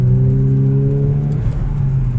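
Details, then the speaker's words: Ford Mk3 Mondeo track car, unmoved for months, with rusty brakes: smooth, even engine drone under light throttle while driving, no knocks or rattles; sounds healthy. "sounds nice yeah I should probably not be giving it too much gas considering the the state needs that the brakes are currently in"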